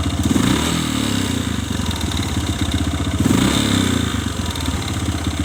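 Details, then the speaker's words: Kawasaki ZX motorcycle engine, rough loose clatter swelling on each throttle blip and rattling on the way down, quieter at idle; no exhaust smoke; mechanic diagnoses a worn, loose piston (piston slap). "Saya teman-teman biasanya yang sering terjadi semacam ini suara yang semacam ini biasanya adalah suara piston yang sudah oblak saya suara piston yang sedang yang sedang oblak"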